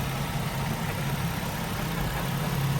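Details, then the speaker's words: Nissan 350Z VQ engine after full engine replacement, first run after vacuum bleed with engine cover on: low, even, buttery-smooth quiet idle with no knocks or misses, only slight clutch disc chatter; normal idle. "It sounds so good. >> Dude, this is so quiet. [Music] >> I've never heard a VQ this nice. >> Oh my god, it's just buttery smooth, dude. This is great."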